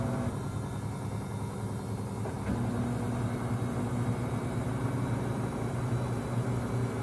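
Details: Five-month-old Samsung front-load washer WW25B6900AW/A2 draining with no water left: loud constant coarse low buzz about 70 dB, since first month; quieter hum when water is draining; drain pump buzzing, cause not clear.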